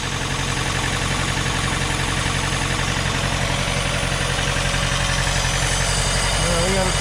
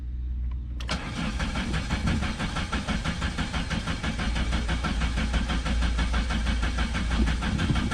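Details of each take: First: 1987 Chrysler LeBaron Town & Country Turbo, bought at a salvage auction with only 4,000 miles since 2005, running for the first time in probably several years after an oil change. Even, steady idle with a regular pulse and no misses or knocks. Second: 1987 Chrysler LeBaron Town and Country Turbo, salvage car, first start attempt: starter cranks about two turns a second and the engine sputters without catching; little fuel in the tank, and the in-tank fuel pump isn't delivering fuel.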